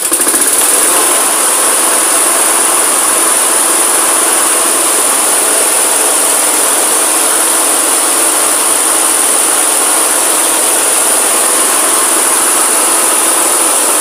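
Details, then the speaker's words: Victor mower, after rebalancing the blades (too many washers on one side of the plate) and a carburetor clean; starts easily and runs steady and even with no surging, misses or knocking, a healthy normal run. "Starts easy, runs really well. So I'll give you a listen now."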